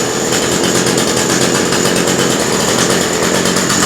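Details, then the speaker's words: Cheap hedge trimmer small two-stroke started on full choke after priming: buzzes at a steady high pitch with an even, rapid beat and no misses; runs despite being said not to; normal running. "nice and they say it they said it wouldn't"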